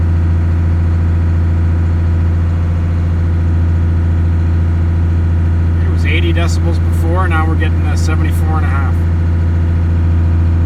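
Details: 1st gen Cummins diesel truck after cab sound deadening, recorded inside cab revved to 1,500 rpm: deep steady even drone, no knocks; normal healthy running.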